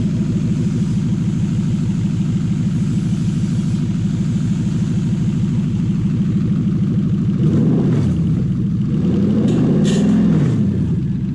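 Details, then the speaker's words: Toyota 1UZ-FE V8 on a 40/40/40 ECU with a brand new conversion loom; smooth, even V8 burble settling into a steady idle with a couple of light blips near the end, running clean. "I think we'll fire it up one more time and call it a day."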